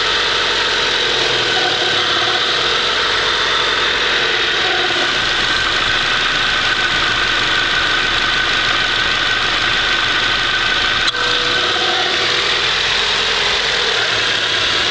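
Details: Honda CRX at idle: strong airy hiss over a steady idle; owner suspects a vacuum leak at the idle air control valve (IACV).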